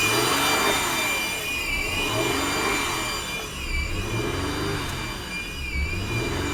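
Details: 2000 Acura TL after knock sensor replacement that required removing the intake plenum: idle RPM hunts every two seconds with thin high whistle from AC compressor side; owner suspects broken vacuum hose elbow, unconfirmed.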